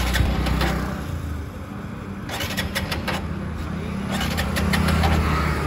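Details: Motorcycle cranks with a steady churn about four beats a second but never catches; out of fuel, the tank has run dry.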